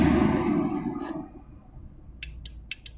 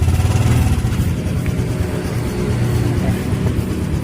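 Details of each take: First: Honda Supra X 125 R fuel-injected motorcycle that won't crank on the electric starter: four sharp dry clicks with no whirr or cranking after them. The starter relay works, so the starter motor is the suspect. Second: Fuel-injected Honda Supra X 125 R with a dead electric starter, after the starter motor is refitted: the starter engages and the single settles straight into a steady, even thrum with no misses; normal start and running.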